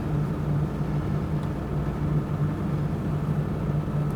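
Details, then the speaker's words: 1991 Toyota Land Cruiser 3FE petrol six after valve adjustment, a new intake boot and a tightened alternator: smooth, even, slightly raised cold high idle with no valve tapping. Normal. "high idle is looking good I am entirely happy with what we have here"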